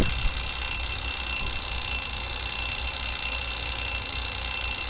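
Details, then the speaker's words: Refurbished Westclox Baby Ben wind-up alarm clock, restored about 20 years ago and fully wound: a loud, fast, continuous metallic ring holds steady throughout, the alarm bell and striker working normally; pretty loud for a little clock. "So, that's what he sounds like when he goes off. Pretty loud for a little clock."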